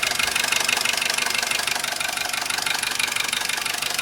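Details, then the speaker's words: Vauxhall Corsa C at steady idle after a new timing chain kit, which made no difference: fast, even ticking knock, roughly three a second, toward the back of the engine; chain noise gone, source unknown, cause unconfirmed. "All the noise off the top bit here is gone. Noise from the chain's gone. This sounds like it's coming from the back here."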